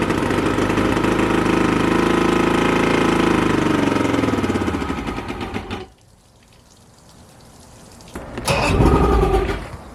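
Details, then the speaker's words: Outboard boat engine unable to idle, primer bulb very hard with pressure, center carburetor leaking fuel; fires and runs lumpy, loping, then stumbles and dies; rough running and hard starting, owner suspects flooding from the dripping center carburetor. "so oh that sounded terrible and goodbye all right so this is just going to continue being a problem"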